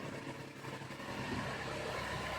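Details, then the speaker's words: 2005 Toyota Sienna V6 at idle, test-fired right after a spark plug change: soft, even, smooth idle hum with no misses, ticks or stumbles under background hiss; normal idle. "but there we go here it is you can hear the engine running hopefully so smooth everything looks nice"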